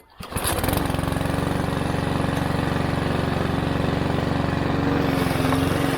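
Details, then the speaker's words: Mountfield HP 414 petrol lawn mower that started then died, after carburettor cleaning: catches and settles into a steady, even single-cylinder drone, holding speed smoothly while cutting grass; running much better. "but it's certainly running a lot better it's functioning now"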